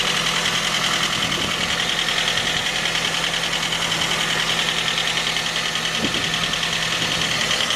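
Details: 2010 J20A engine at cold idle: a quick, fairly even light knock, three to four per second. It appeared at 10,000 km, dealer checks were normal, and it lasted longer after oil changes. Cause was a scored crankshaft journal on cylinder 3, and the block was replaced.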